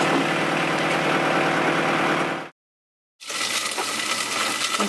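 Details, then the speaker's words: Newly installed engine in sailboat Nutshell, prop shaft not yet connected: very quiet, soft even idle hum with steady beat, about as loud as the air conditioner, no knocks or misses; starts well, no leaks. "Can you hear it? Very quiet. I think it's about the same volume as the air conditioner."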